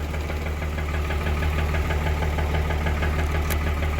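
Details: Blown-up Cummins diesel truck engine with rod knock and blow-by, smoking: deep regular knock about three per second over a steady idle, runs fairly decently otherwise. Rod knock from worn bottom end.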